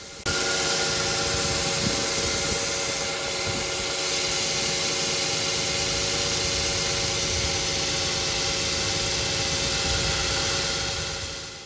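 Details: Car petrol engine starting on the driveway runs with a steady, thin high-pitched serpentine drive belt squeal over idle. Noise is loudest at morning start-up in humid or wet conditions, quietens with use, and was noticed stationary in a car park.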